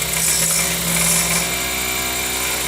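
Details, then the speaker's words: Skew chisel turning an alt ebony pen blank on a lathe, cutting at the center: smooth steady shaving hiss, no rattling chatter; clean cut without vibration. "I'm just taking off material. I'm not chattering."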